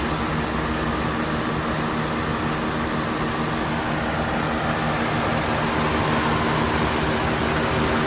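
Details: 1991 Acura Legend coupe after timing belt and water pump replacement and coolant refill, heater fan on full: steady, even engine hum with blower rush over it, no knocks, ticks or misses; idling cleanly.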